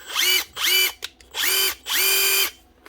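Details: Makita DTD154 impact driver after replacing the failed front needle bearing and gearbox housing, tested before chuck rebuild: four trigger bursts spinning up to a clean high whir, no grinding or rattle; running normally.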